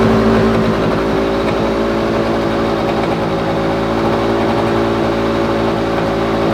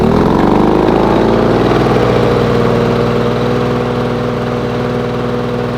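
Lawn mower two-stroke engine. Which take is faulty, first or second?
first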